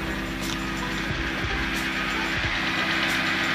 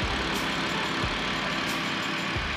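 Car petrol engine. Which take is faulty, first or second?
first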